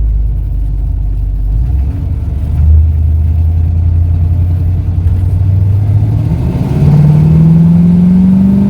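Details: 1971 Ford Torino, rebuilt 302 V8 with C4 automatic, test drive: engine note climbs smoothly as the car pulls through the gears, no pinging, rattling or stumbling. Smooth, no response problems.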